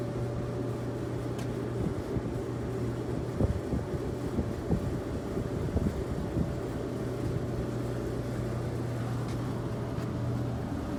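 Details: Samsung electric dryer, after repair of a no-start with a click on pressing start (thermal cut-off suspected): steady low motor hum with faint constant tone, no scraping or thumping, drum turning normally and heating.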